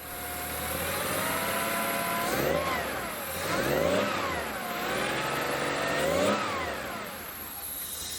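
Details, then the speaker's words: 1976 Porsche 911 Carrera 2.7 flat-six with hard cold start and rough running: just after starting it surges unevenly, popping and stumbling on four then five of six cylinders; misfire traced to a distributor cap/rotor wire problem. "when I just started the car then it misfired ran on four out of six and then five out of six"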